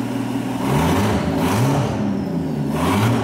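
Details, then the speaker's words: Mercedes CL65 AMG V12 started with exhaust removed, open turbos: loud open-exhaust revs with a whir rising and falling with each blip, twin turbos spooling; normal turbo spool. "can definitely hear those turbos though there we go turbo spinning away we know those are working"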